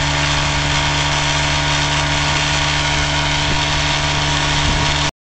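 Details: 1956 Johnson Javelin RJE-18 30HP electric-start two-stroke outboard on a 1965 Viking 14T fiberglass runabout, ticking over evenly with a steady buzzing note, no misses or knocks; normal healthy idle.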